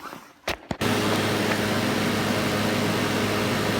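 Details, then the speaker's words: Old Dodge blower motor that long needed hitting to start, after 3-in-1 oil fix: quick click, then fan spins up to a strong steady air rush with even hum; blower running normally again. "ain't ran like that a minute"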